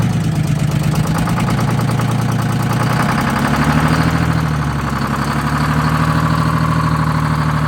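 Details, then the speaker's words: Detroit Diesel inline 6-71 two-stroke bus engine with low compression, dirty Roots blower and a fuel system that loses prime: heavy uneven loping idle with white unburned-fuel smoke, weak cylinders not pulling; rough running. "let's get in fuel cuz that that white smoke is UN fuel yeah"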